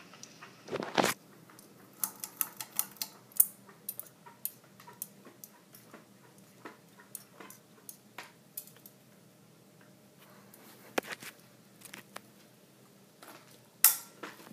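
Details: 52" Hampton Bay Cameron 2 Plus ceiling fan running in reverse (quiet and steady forward): irregular light ticks and clicks, two or three a second, over a faint hum with wobble; blamed on blades at differing pitches.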